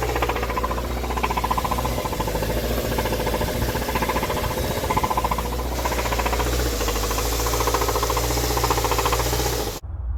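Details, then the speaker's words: 2013 Hyundai Sonata Theta II petrol engine, about 135k miles, P1326 code: at idle a steady, hollow knock about three or four a second, traced to a worn number one cylinder rod bearing. "number one that was the problem and that's where that knocking was you can take a listen to it right here"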